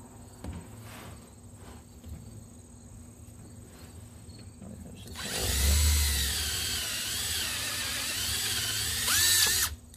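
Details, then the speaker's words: Drilling plexiglass arcade control panel over an MDF backing board: quiet, then the drill spins up into loud, steady rough grinding as the hole saw breaks through and chews into the MDF, which prevents cracking. "you're less likely to crack a hole because it's still going down instead of just um cutting right through and then having a you know possibly snapping at the you hear end that's why i do it over the mdf because you can see the"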